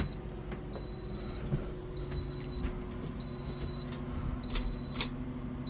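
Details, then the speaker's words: Solar shed inverter low-battery warning: high, thin half-second beep repeating roughly every second over quiet shed noise, with the battery bank reading 9.8 volts. "Oh shoot, we are at 9.8 volts. That's not good."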